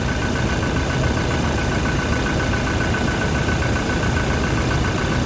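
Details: Toyota Innova Reborn diesel idling after replacing the slipping alternator pulley that caused a flashing battery light; steady smooth rumble with faint constant belt-side whirr, no slipping or chirp; charging now about 13.5 V, up from about 12 V.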